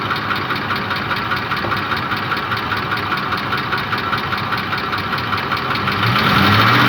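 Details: Ford Triton 5.4 3V at a steady idle with all solenoid connectors plugged back in after testing with them removed: a regular light knock about 2.5 per second over the engine hum. No difference heard by ear; source of the knock still undetermined.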